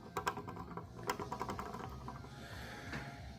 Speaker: that's this plastic wheel see how it's the shaft of the motor comes through the wheel